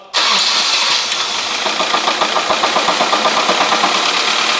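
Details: 1998 Honda CR-V 2.0 petrol, 466,000 km, warm engine (~60–70°C), oil pressure 1.5–2 atm: quick regular metallic knock deep in the bottom end at startup over idle; teardown found main bearing knocking at the third journal.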